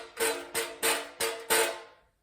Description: Adding foam strips to a noisy roof vent louver won't reduce the noise you hear when wind whips the louver up and down.